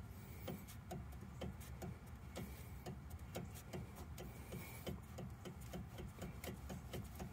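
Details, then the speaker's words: 2016 Chevy Cruze Premier Turbo, front driver's side knocking, car on jack stands: sharp dry clunks about every half second as the suspension is rocked by hand; worn, ungreased sway bar link with play, strut also suspected. "i could hear it's dry hasn't been greased even though it's got zerks they're dry ain't no grease you can hear that"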